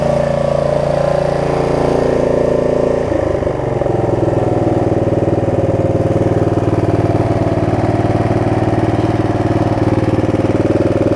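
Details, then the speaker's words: Snapper rear-engine rider mower after bad-gas repair, second pull: small single-cylinder runs steady and even after a brief dip, no misses or knocks; running healthy. "i'd say that's a success second pull make sure it runs and or dries and cuts like it should"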